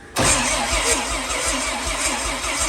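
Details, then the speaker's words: Rear-wheel-drive Honda Civic with slow cranking, after its starter was turned 180 degrees to relieve a suspected bind: quick even cranking beats with no catch, faster than before (reading up to 105) but still below normal. "That's definitely faster. That was 105. That's 105, so we're up quite a bit."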